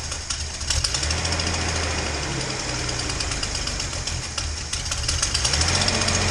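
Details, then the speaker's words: Datsun 240Z inline-six after new spark plugs; it had been running on four cylinders (2 and 6 out) and now runs better. The idle is still rough and uneven, with a sharp rapid tick following engine speed from an exhaust leak at cylinder two, possibly the EGR port. "you know you can probably hear i got a bit of an exhaust leak uh and the idle's still not great"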